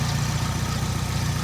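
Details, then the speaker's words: 1998 Nissan Sentra SE-R, bought as a no-crank no-start, now started: smooth, even low idle hum with no ticks, knocks or hunting. Normal idle. "Sounds good, too. See how it sounds."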